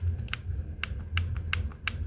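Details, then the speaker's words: Yamaha RX King engine during assembly, clutch housing area rocked by hand: sharp separate clicks, about five in two seconds. Play in a part said to be newly replaced but showing grinding marks; rough noise inside the engine. "Goyang Kiri Kanan di depan belakang goyang dan menimbulkan suara seperti ini"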